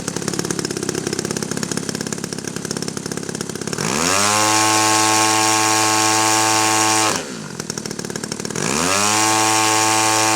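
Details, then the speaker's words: DLE gas RC engine being tuned from a known base setting (high needle about 1.5–2 turns, low about 1.5–1.75). Rough low-speed running, then two clean sweeps to a steady full-throttle scream. The high end sounds well tuned. "high end sounding pretty good, as you saw, so we're going to start"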